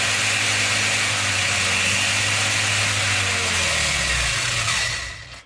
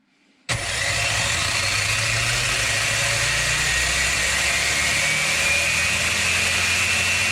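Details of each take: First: Rlaarlo RC car with Surpass KK 60A ESC, Spektrum SR215 receiver and SX5C transmitter at high throttle: steady high-pitched whirr for about four seconds, then even spin-down; normal high-speed motor run. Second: Rlaarlo RC car with Surpass KK 60A ESC and Spektrum SR215 receiver: the motor whines up at 100% throttle endpoint but is capped near 60 km/h. At 110% endpoint the rpm kicks in higher.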